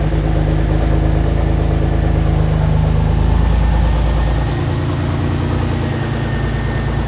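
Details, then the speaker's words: BMW X3 E83 M54 after head gasket replacement reassembly: engine runs very loud and raw with deep blatting rumble at idle; exhaust manifold bolts to the rest of the exhaust left untightened, later tightened. "So you want to know why it was so loud just now? I forgot to tighten the exhaust manifold bolts. You know, where it bolts to the rest of the exhaust."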